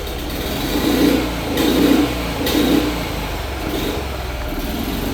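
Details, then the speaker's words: Isetta being restored, running after replacing the Dynastart, fan still off, charging only slightly (13.5 seen): small single-cylinder engine putters evenly, revs swelling about once a second with throttle blips, runs cleanly. "Okay, we're running, and that's good news."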